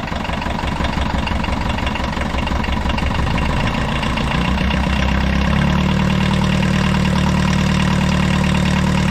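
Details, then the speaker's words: Abandoned 1980s VW Rabbit pickup diesel, first start after years, gravity-fed fuel with no fuel pressure, little coolant: rough idle with a hard regular knock about three per second; owner suspects rod knock or piston slap. "i definitely hear like a rod knock or a piston slap or something she runs cherry"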